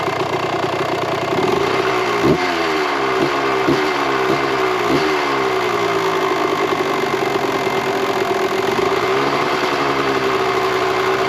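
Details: 1998 Kawasaki KX125 two-stroke after carburetor re-jetting, idle screw turned out to lower idle: crisp idle with clean even throttle blips; sounds good, runs good, considered dialed in; normal idle and revving.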